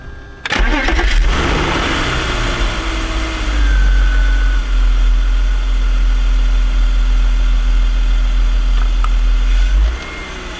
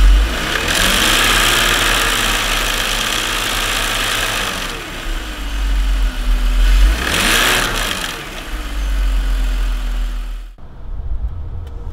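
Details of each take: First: BMW M54 six-cylinder after replacing the DISA intake valve that made a horrible noise: cranks briefly, catches at once and settles into a smooth, steady idle with no rattle or intake noise. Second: BMW M54 six-cylinder with defective Dorman DISA intake valve, flap oil-covered, before replacement; harsh rattling clatter over idle continuing through a couple of throttle blips, loose DISA flap rattle.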